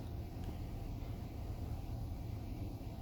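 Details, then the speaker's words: 2004 Chevy Silverado 5.3L V8 4WD, crank-no-start after dying; fuel pump was drawing only about 2 amps and spinning too fast: now running with fuel, steady even low idle rumble with no misses, knocks or hunting. "anyways as you can hear she's running with fuel in it now"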